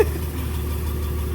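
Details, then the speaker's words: Ford truck six just started before warm-up, after an oil pan gasket fix for oil leaks, running 15W-40 diesel oil: low, steady idle with even beat, no knocks or ticks; sounds much healthier, motor quiet. "yeah right that sounds so much healthier sure wow no the motor is actually quiet sure"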